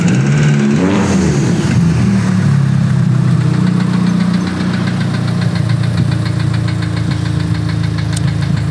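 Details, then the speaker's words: Tuned engine, pistons now run at 30 bar mean pressure instead of the original 20; hollow knocking rattle at two to three per second that rises with revs. The camera showed a cracked piston with its liner almost broken, so the engine will likely have to come out. Piston slap. "Oui, le piston est fissuré. On y voit bien. Oh oui. Et là, regarde. Oui, je vois que la chemise est presque complètement cassée. Oui, c'est clairement le bruit que vous entendez maintenant."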